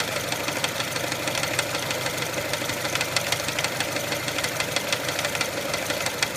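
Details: 1999 Mitsubishi Pajero iO with 4G93 engine at rough idle: sharp ticking knocks about three per second, unevenly spaced. Owner suspects the wobbling crankshaft pulley; source not confirmed.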